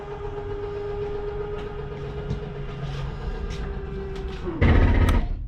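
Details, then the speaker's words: 2022 Jayco Jay Flight Bungalow 40LOFT, kitchen/entertainment-side slide retracting: steady motor hum, then a coarse buzz as it bottoms out. This is the normal signal that the slide is fully in; release the button. "that is nothing grinding that is just a slide mechanism telling me i'm in all the way"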